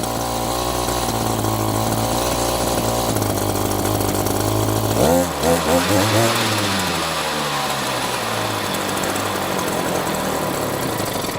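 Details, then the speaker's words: Echo GT-200i string trimmer with easy start system, carburetor internal jet turned out in half turns: steady two-stroke buzz for five seconds, then revs sag and surge unevenly and it dies, still with fuel; stalls after running. "and dead. Still got fuel. Try another half turn out."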